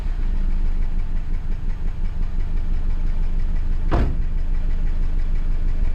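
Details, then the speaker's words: Van idling with the check engine light on: uneven, lumpy idle with irregular dips, nearly stumbling, no power, surging while driving. This is a cylinder misfire; the owner suspects ignition, fuel, oxygen sensor or a vacuum hose. "so my wife said that she's driving down the road and all of a sudden the car is just surging or misfiring as you can see I started it and it's got a rifle idle on it no power"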